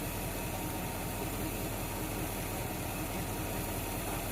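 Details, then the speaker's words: 1976 Ford F100 V8, warm idle at about 15 inHg vacuum: intermittent light, uneven rattle over steady idle is the PCV valve jiggling from warm-engine blow-by; still working, to be replaced later. PCV valve rattle at idle. "he intermittent rattling you're hearing is actually the PCV valve if you can hear it um I'll replace it at some point but it's not bad it's it's working if it's uh if it's jiggling and rattling it's working"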